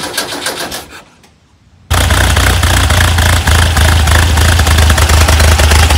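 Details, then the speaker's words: VW double cab (bus) air-cooled engine after an engine fire, restarting after rewiring the melted distributor wire and keeper and refitting points; brief cranking, pause, then catches into a steady, even idle; belt still needs tightening; normal idle. "it's alive I gotta tighten that belt but it definitely provided the electronic ignition as soon as I got the points in there it started right up"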